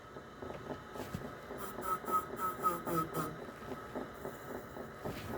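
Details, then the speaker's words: Teac A3440 reel-to-reel deck in play mode: repeated mechanical clunks about four a second over a steady motor tone, clunking more in actual play position and when leaning the deck forward. "so so it it clunks more when when it's in the play actual play position"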